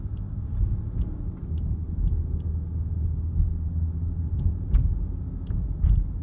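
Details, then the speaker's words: 2023 Range Rover Sport P440e HSE Dynamic plug-in hybrid while driving: faint, irregular relay-like click-click ticks from the dash near the front speaker over steady road rumble. An interior fit-and-finish rattle. "there are some rattles and especially one coming from from right there where the front speaker is it's like a relay clicking click click click click click click"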